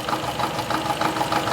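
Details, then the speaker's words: 2012 Toyota Camry misfiring on cylinders 3 and 4, before repair: idle with a steady chuffing stumble about every quarter second; valves on 3 and 4 found bad from overheating, causing the misfire. "यह तीन number और चार number इसका अजय को थे whole वगैरह खराब पड़े गर्म हुई थी"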